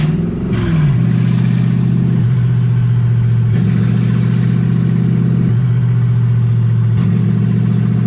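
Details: Toyota 1UZ V8 swapped into a Ford Falcon, warm (about 160° on the gauge), idling high and hunting, revs stepping up and down every second or two; manifold wrap smoking; pointing to a stuck-open idle air control valve.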